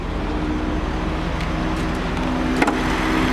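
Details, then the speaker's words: BMW E39 M5 after rebuild, first start, engine hot from sitting in 91-degree sun: a smooth, quiet, steady idle with at most a faint tick, maybe one lifter; sounds healthy. "First time I've heard it. It's pretty quiet. It's got what's maybe one lifter was Very quiet. making noise. That's pretty damn quiet."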